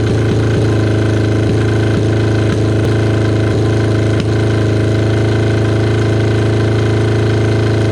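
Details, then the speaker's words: Kawasaki KZ550 motorcycle after carburetor rework, air screw set half a turn out: low hunting idle with irregular stumbles, cylinder one not firing cleanly at idle; a split intake boot was then found, to be sealed with gasket maker. "That looks like there's a uh a bit of a split on the intake boot there."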